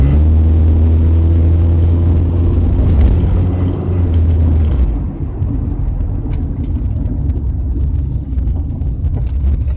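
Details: Car hit something on the road, now has an exhaust leak: deep loud droning rumble, far boomier than stock, even at about 30 mph light cruising. Exhaust leak.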